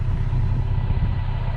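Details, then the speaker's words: Toyota Tacoma TRD Sport, heard at the exhaust at idle: deep, steady low rumble with a gruff, diesel-like, almost cammed edge; owner says this idle clears carbon buildup; normal idle. "it almost sounds like it's cammed out that's what yeah the sound is very similar to like a cans like oh"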